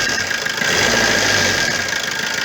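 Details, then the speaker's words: Opel Corsa 1.3 diesel, checked for a whistling exhaust manifold gasket leak: it runs evenly with its usual clatter, and a full-throttle blip gives no whistle or puffing hiss from the exhaust. "bu şu anda çok şükür sorun yok bir tam gaz verir misin abi ses soluk yok"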